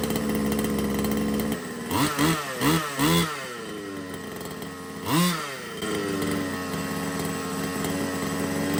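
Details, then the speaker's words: Small two-stroke engine on an RC car from a used job lot. Idle is set too hard and hunts, climbing then dropping; the clutch at first didn't engage at full throttle. Owner suspects the carburettor needs removing and cleaning: hunting, high idle. "when it was on tick over the tick over was a little bit too hard so turn that down but you could hear it hunting at the was climbing then dropping so I think the carbs going to have to come off"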